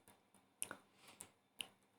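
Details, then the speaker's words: External hard drive connected through a case clicks instead of being detected: faint, sharp irregular ticks once or twice a second over near silence while the platter spins; the click comes from the read head arm moving up and down. "लेकिन gas click कीजिए sound है वह सिर्फ इसकी वजह से होती है जो फिलामेंट है वो कभी ऊपर आता है और कभी नीचे आता है"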